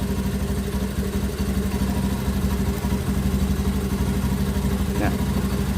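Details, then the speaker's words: Honda Beat ESP fuel-injected scooter with a new non-original relay fitted, running with a battery terminal disconnected: steady low putter with no stumbling or dying; engine keeps running, idle and charging normal. "terlepas, motor tetap hidup, berarti normal, pengisian pun normal."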